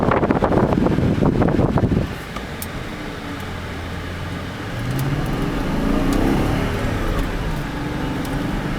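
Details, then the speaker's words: Car in neutral, a couple of hard throttle blips, then it settles back to a smooth, even idle; revs cleanly with good power and no warning lights, though the SRS light was on for a minute or two. "can kind of hear it you know it's got good power there's no warning lights"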